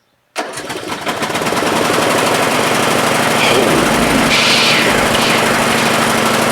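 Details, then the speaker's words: Craftsman LT1000 lawn tractor, Briggs 16 hp, deck removed, on choke, first crank after battery install and adding oil. It fires rapidly and unevenly for a few seconds, then stops instantly. Starts then stalls, cause not confirmed. "ooh watch snow did you guys saw that it was running and then it just stopped like instantly oh that's no good"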